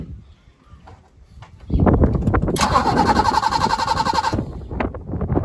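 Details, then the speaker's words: BMW E30 323i, sat over a year, restarted in garden with no radiator and exhaust covered: quiet lead-in, engine catches, flares briefly, then settles into steady even idle with no misses or knocks; normal start and idle. "Interesting. It's been a long time since I've had one of these engines running. The other one I ever got going, I just took it straight out. But very pleased that it runs."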